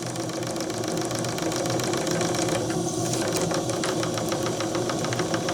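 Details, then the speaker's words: Old JMC 3 cc live steam engine in RC steamboat at about 2 bar, low speed: soft uneven ticking about three a second over steady chuffing from slight play in the mechanism, judged harmless. "Alors il y a un peu de jeu là-dedans, mais ça c'est pas grave."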